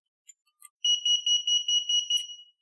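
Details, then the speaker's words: VIMA digital anti-theft lock cylinder: a quick run of about eight high beeps instead of one on inserting a user key, meaning the key isn't inserted correctly or its touchpad isn't contacting the data reader; remove and reinsert. "remove the key and reinsert it. This most likely indicates that you did not insert the key correctly, or that the touchpad on the key is not connecting with the data reader properly."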